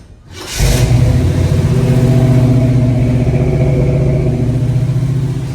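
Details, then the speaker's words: Squarebody Chevy big-block V8 restarted with the valve covers off after it came free: it catches and settles into a deep, even, steady rumble with no misses or ticks, running smooth. "Well, we just fired her up again, and it came free, and it's working just like it should now. That thing's purring like a kitten. It is literally running smooth as can be."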